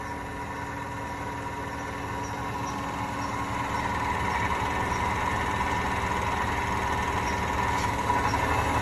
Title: Hotpoint bad bearings